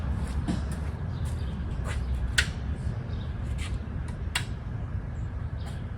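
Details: Ford 289 small-block V8 with C4 transmission, freshly rebuilt and installed in a 1973 Mercury Comet, running with H-pipe and mufflers: steady low rumbling idle, even and unbroken, with a few light clicks on top; runs smoothly, normal idle.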